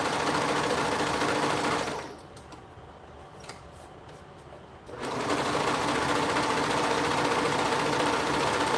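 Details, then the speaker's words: Sewing machine during stitching: fast, even hum with a light rattle riding on it that stops when the machine pauses and returns on restart; a sudden rattle, source unknown after inspection. "all of a sudden can you guys hear that like weird noise that it's making it's like something's rattling in here and i don't know what it is"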